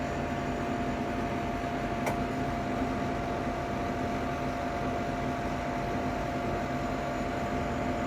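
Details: Ninja Foodi 8-in-1 cooker running cold, though the owner says the unbearable noise comes after it warms up: constant loud whirring drone at a steady pitch; runs far noisier than it should, cause unknown.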